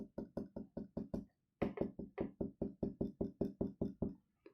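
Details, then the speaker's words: Silver Staedtler 925 2 mm lead holder rattling when shaken: a light, dry clicking two or three times a second, probably from a slightly loose end cap; the rattle is quieter when writing. "Another pet peeve was at times when I wrote with the silver one, you can hear a bit of rattling. This is probably an end cap issue. This is slightly loose."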